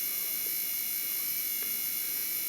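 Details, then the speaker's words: H7 LED headlight bulb in the engine bay with a failing cooling fan: steady thin high-pitched whine and buzz whenever the headlights are on, bulb working very poorly; replace the bulb. "que son refroidissement il se fait il ne se fait pas correctement le ventilateur il est en défaut et vous entendez ça quand vous allumez vos phares"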